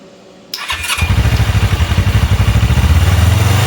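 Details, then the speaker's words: Small engine: fires after a short crank into a fast, lumpy, uneven throb, holding a high idle only on full choke and not revving; owner suspects a vacuum leak, as covering one vacuum line helps. "So, it'll only start with the choke all the way on."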